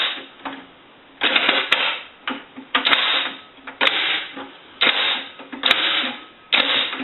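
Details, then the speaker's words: Bell rotary payphone, reassembled after repair and conversion, T key turned a quarter turn: sharp mechanical clacks and short rattling sweeps in irregular bursts as the internal linkage swings freely before locking; normal T-key linkage sweep. "When using the T key, what happens is there's linkage inside that swings up and down before you can come over to the lock and lock everything up. So you want to make sure that you hear the linkage sweep."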